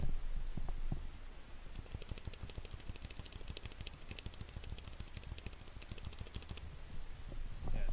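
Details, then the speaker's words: Cherry MX Silent switches on keyboard, headset mic close to keys: rapid presses give a soft thud with a sharp bright tick; Escape is one of the few keys without the ticking, J key ticks badly, others vary. "which really doesn't have the problem - one of the few keys that don't have this ticking problem and then I want to move over to the J key on which it's really bad"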